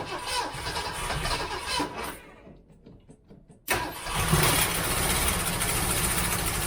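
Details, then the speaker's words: 1967 Mustang 390 V8 after ignition wiring fixes: a brief crank, then a lumpy, uneven idle that sounds like it runs on seven cylinders. Owner suspects a plug wire left off after spark testing. "all right I think I have a spark plug wire disconnected because it sounded like it was running on seven"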